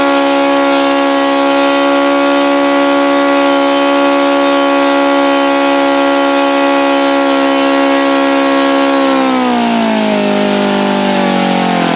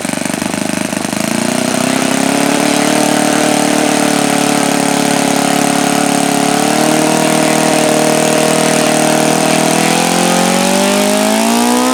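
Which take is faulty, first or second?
first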